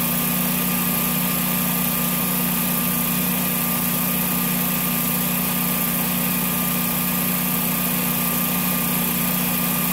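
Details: Generac standby generator in snowy cold weather, after an RPM sense loss failure repaired by spraying the terminals: steady, even engine hum with a constant whine on top, no knocks or surging; normal running.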